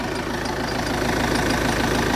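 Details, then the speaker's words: Vauxhall Zafira 1.9 CDTI 150 hp diesel after starter motor replacement, shorter belt fitted bypassing hot AC compressor: steady idle with light even metallic rattle over the clatter; owner suspects a loose bracket in the middle, otherwise engine sounds good. "The engine sounds good, but there is like a metal sound, and I think it's that loose bracket there right in the middle."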